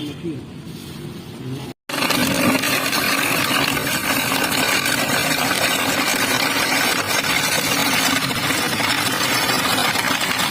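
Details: Carlton BES400FD double-blade ice shaver, 250 W, 220 V, 15000 r/min; blades chew ice with busy uneven rattle of shifting cubes over steady motor hum; rattle is ice, motor smooth, normal operation.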